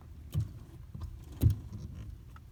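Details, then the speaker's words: Toyota Corolla: two dull low knocks about a second apart as the steering wheel turns, from a damaged steering yoke (intermediate shaft universal joint), replaced as the fix. "Do you hear knocking sound when you turn your steering wheel? Well, today I'm going to show you how to fix that problem."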